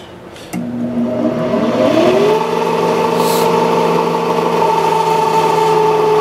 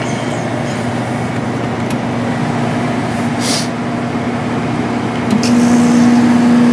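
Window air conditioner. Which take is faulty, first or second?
first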